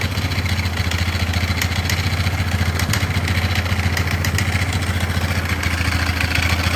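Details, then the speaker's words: 2005 Polaris Sportsman 500 H.O. idling with loose uneven clatter and vibration over single-cylinder thump: broken pieces rattling in the CVT primary clutch; quad won't go forward or reverse. "it's still kind of Rowdy but I think it's all in that primary yeah it's all in this here huh"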